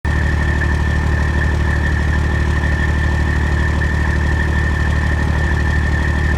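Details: Freightliner with Detroit Diesel 14-liter, in-frame overhaul, head overhauled twice, at idle; faint rapid metallic tick about three per second from exhaust pipe and manifold over the rumble; shops call it normal, owner disagrees, cause unconfirmed.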